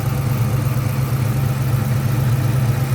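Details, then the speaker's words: 2004 Mustang Mach 1 V8, Borla cat-back, before reaching operating temperature: deep, uneven, lumpy loping idle; lean code; owner suspects exhaust and/or vacuum leak or bad O2 sensor, not found. "I'm under the impression it may have an exhaust leak. and or a vacuum leak that I have not been able to find"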